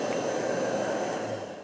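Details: Whirlwind R-5760 regenerative ring blower after a rebuild: a steady, even airy rush with a mid-pitched hum and no knocks or rubbing before it spins down. Normal running.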